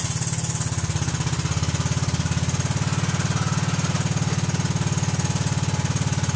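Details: Kohler Command CH16S engine in a Cub Cadet 2166, cold start after reinstall and reseal/electrical/starter refresh: even steady low chugging, no misses, knocks or rattles; runs good, warming up.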